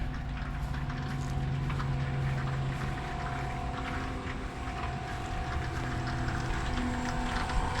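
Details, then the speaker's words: New Black & Decker variable-speed inground pool pump, replacing a worn Pentair single-speed pump, at slowest speed, barely audible: quiet steady hum with soft constant tone, no knocking or rattle; normal running. "I mean, barely audible. Let's try speed number 3."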